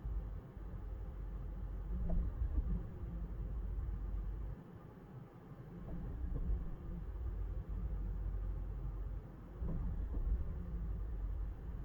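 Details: 2003 Honda CR-V petrol engine running with uneven lumpy low rumble and brief dips; misfire.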